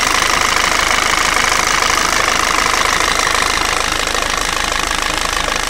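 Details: Peugeot/Citroën 1.6 HDi FAP diesel at idle: a sharp, even metallic knock about two or three per second over a steady idle; the owner asks whether the sound is strange, and the cause is not pinned down.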